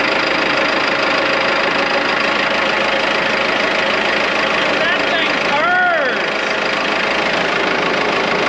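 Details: Morbark 2400XL track chipper's 4BT diesel running after bridging with a bolt to let it get fuel: it settles into a steady, even clatter with no misses or knocks; it starts and runs cleanly, though there are no hydraulics yet.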